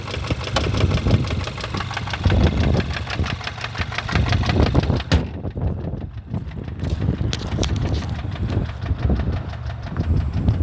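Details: 2015 Kia Rondo 4-door wagon, petrol engine idling with a steady, rapid knock running evenly throughout: engine knock.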